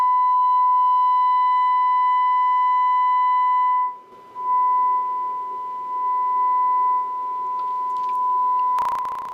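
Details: Kit-built Mod Amp K-MOD102+ with EL84 tube, after repair of a no-output fault, volume at five, driving speakers: clean, steady single-pitch test tone without crackle, hum or dropouts; amp now passing signal properly.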